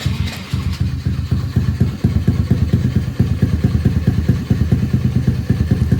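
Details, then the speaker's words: Honda NAVI, fully warm, after carb tuning with fuel screw about 2.75 turns out and idle speed screw set so idle comes well down: low, steady putter with evenly spaced firing thumps, no hunting or stalling; properly set normal idle. "And I don't know how many turns out I am on this, your idle speed screw, but it really, really comes way back down, which is phenomenal. And the bike is fully warm too, so it's set properly."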